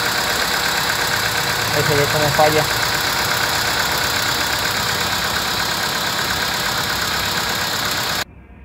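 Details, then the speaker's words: VW Vento at idle with check-engine light on, codes P3000/P3001: unsteady idle with an uneven stumble roughly every quarter second, a misfire traced to a failed cylinder 1 ignition coil. "aquí estamos viendo cómo nos falla el motor está inestable"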